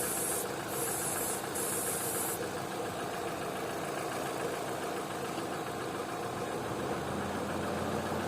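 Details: Opel/Vauxhall with LPG conversion and intermittent high idle (2000-3000 rpm), checked for vacuum leaks by spraying around throttle body: steady even idle near 800 rpm, brief spray hisses bring no rpm change; normal idle, no leak found.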